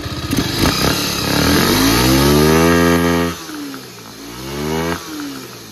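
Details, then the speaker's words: Second-hand Bajaj Pulsar 150 single-cylinder, carburettor fault fixed: clean start, then crisp full-throttle revs climbing smoothly and dropping back evenly, strong pickup with no stumble; engine healthy. "देख पा रहे हो काफी बढ़िया से start हो रहा है और जो कि पिकअप जो है काफी बढ़िया से अभी ले रहा है।"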